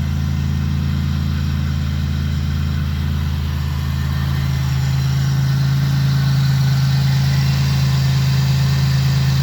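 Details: 2002 Pontiac Grand Prix engine that had seized, now freed, with fresh oil change and new spark plugs: steady, even hum with constant low drone, no knocks or misses for ten seconds; runs smoothly.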